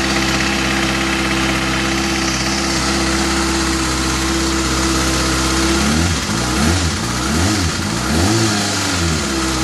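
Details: 2013 Kawasaki ZX-6R four-cylinder at idle: a fairly loud light ticking over a steady idle, blipped twice to higher revs. The owner is concerned; the cause is unknown.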